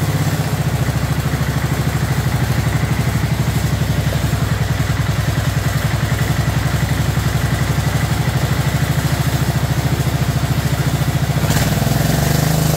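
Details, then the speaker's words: Abandoned 2004 Murray lawn tractor, Briggs 12.5 HP OHV single, first run: steady fast, even low thumping throughout, choked and running rich with excess fuel; flooding later fixed and carburetor adjusted. "try no choke because there's probably lots of gas in there"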